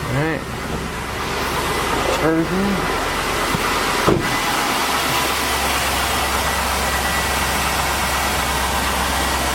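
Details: 2002 Chevy Avalanche 1500 5.3L V8 after alternator, belt and idler pulley replacement: cranks, catches, then settles into steady, smooth idle with no ticking or squeal.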